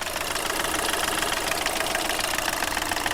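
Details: Skoda Fabia diesel with low pickup, smoke and oil-filter and inlet leaks, engine warm: heavy, steady clatter about three or four knocks a second over the idle; worn engine knocking badly.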